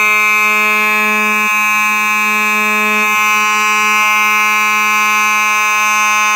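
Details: Simplex 4903-9219 mechanical horn strobe, horn and strobe together: very loud, continuous low-pitched buzzing hum, steady and unbroken; the mechanical horn sounds normal.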